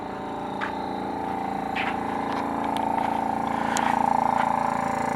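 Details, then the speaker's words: 1984 Nissan 300ZX Turbo (Z31), engine running: steady compressor-like whir with faint pulsing, about four a second, near the passenger-side front headlight, with air felt from a small outlet underneath; cause unknown. "so it sounds like it's like some sort of a compressor um you can hear it up front near the headlight over here"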